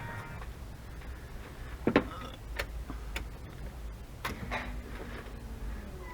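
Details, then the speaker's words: Nissan 300ZX Z31 with an LS swap, fuel pump newly wired to a relay, key turned on: a relay click, then a faint, steady low hum comes in and holds evenly; the fuel pump primes normally. "so now how it is i should just be able to turn the key and we should hear the fuel pump come on"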